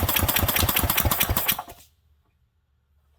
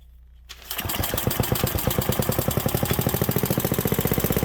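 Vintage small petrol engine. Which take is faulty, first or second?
first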